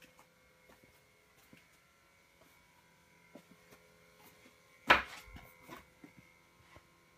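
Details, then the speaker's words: 2013 Chevrolet Volt parked unplugged in a garage at 11:30 p.m.: faint steady electrical buzz with a few fixed tones and one clunk, seeming to come from under the rear; the source of the buzz is unclear. "it's about uh 11:30 on September 1st 11:30 p.m and I just came out into the garage the volt is not plugged in but it's making like a huge"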